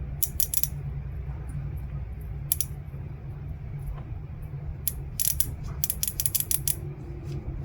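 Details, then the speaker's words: Mazda 3 BK 2.0L fuel injector removed and bench-powered from a battery for cleaning. Sharp bursts of crisp clicks over a low hum as it opens and closes. Normal injector operation. "so you can hear the noise where the injectors working"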